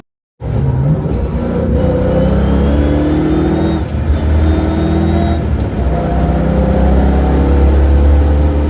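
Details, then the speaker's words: Mustang (Project POS) with new custom flow tubes and tailpipes, driving: engine through gears with road roar and a sudden loose rattle from the rear after several miles; owner suspects something shaking loose against the frame. "I've got a rattling in the rear end suddenly out of the blue after several miles. I have a feeling something is shaking loose and it's rattling on the frame again."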